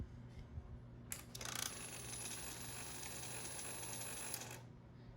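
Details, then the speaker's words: 2006 Suzuki GSX-R600 with 3,000 miles: a steady high whir for about three seconds, then it stops, as the fuel pump primes normally once connected to the correct plug, with no fuel. "hear the fuel pump prime pressurize there's no gas but if it was in a fuel tank and there's gas pressurize and it would start"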